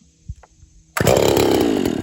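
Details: Poulan 330 saw after a crankcase swap and 60cc cylinder swap, 30 thousandths off the base, base gasket, squish 23–24 thousandths, new ring not yet seated; crisp, even high-revving buzz with no stumbling on its shakedown run, running cleanly.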